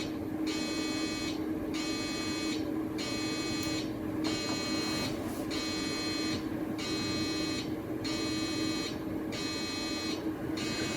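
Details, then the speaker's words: iMac G4 1.25 GHz at first power-on after shipping: rhythmic buzzy chirp repeating about once a second over a quiet hum; hard drive suspected dead, possibly just unlocking the heads, uncertain. "I spoke too soon about it being fully intact ladies and gentlemen we have another dead hard drive I think maybe I spoke too soon on that too maybe it was unlocking the heads or something I don't know"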